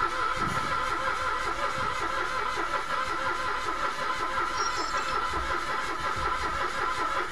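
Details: Mitsubishi Mirage automatic: starter churns steadily about two turns a second but engine never catches; no fuel delivered despite new spark plug, fuel pump being tested with jumper from battery.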